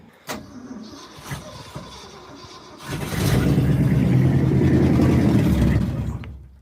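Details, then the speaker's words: 1967 Ford F250 Crew Cab Bumpside with new fuel tank and hose, low on gas: a few clicks, short cranking, catches and runs rough about three seconds then dies; slow flow into the fuel filter, fuel starvation suspected, pump unconfirmed. "so right now it just SS seem like it's priming it's getting like a little bit of gas to the carb but then it just burns it all up real quick"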